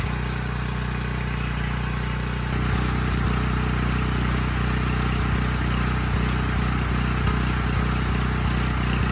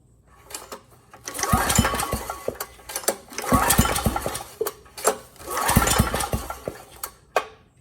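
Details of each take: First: Briggs Vanguard on a Powermate 5000 W generator, running with no load: speed won't settle, dipping and recovering every second or so. It clears under load and mostly with choke. Adjustment didn't help; owner suspects a clogged pilot jet starving it of fuel. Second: Briggs & Stratton Vanguard on a Powermate 5000 W generator, sold as having a burned piston and no compression; after repair, recoil pulls give firm, even compression thumps, now nearly 50 psi versus 30 psi before. Leak-down fixed, compression healthy.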